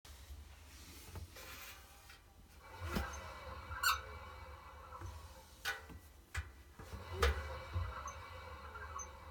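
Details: Two-month-old Miele WT1 WTF130 WPM washer-dryer: scattered high squeaks and faint knocks every few seconds as drum turns by hand or in wash; owner asks whether bearing damage or normal.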